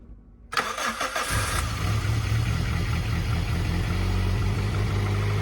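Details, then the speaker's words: 1991 Suzuki Swift 1.6 AWD saloon, carburettor: cranks, catches and runs roughly with an uneven low beat only on fuel poured in; fuel not reaching the float bowl, owner suspects a blockage and plans to remove the carb. "so it's getting fuel but just not into the float into something well the cracks of it is the car's got to come off I think there something got it blocked"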